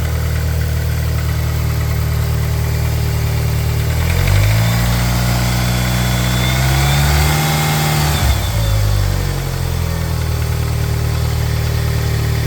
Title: 420a possible piston slap or valvetrain knock